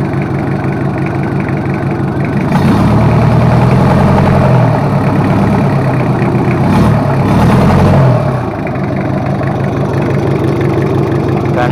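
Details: Toyota Kijang 2L diesel after a full engine overhaul for low compression and an abnormal noise, running in: an even idle, briefly revved and eased back with a clean rise and fall, no knock or miss, running healthy.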